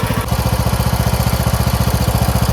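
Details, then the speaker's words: Craftsman MTD T1600 lawn tractor with 46-inch deck, first start after camshaft (ACR) replacement: normal idle, even rapid firing pulses around fifteen a second with no skips or knocks, smooth and healthy. "Let's go. Smooth as can be."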